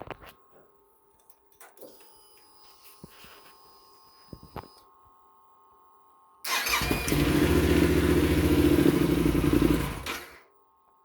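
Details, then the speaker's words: Yamaha Super Tenere cranking right after swapping a 6-year-old stock YTZ12S battery for a brand new Scorpion with 387 cold cranking amps: brisk, even starter churn about four beats a second, catches quickly and fires right up; normal fast cranking and start. "you can see, much faster, fired right up. And that's the difference between a 6-year-old stock YTZ 12S and a brand new Scorpion with 387 cold cranking amps."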